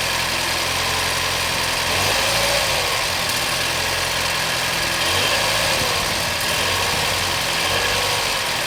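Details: 2014 BMW 116i F20 at idle; bright, sharp, irregular ticking hiss on top of steady idle; BMW says this is absolutely normal; engine noise at idle, source unclear.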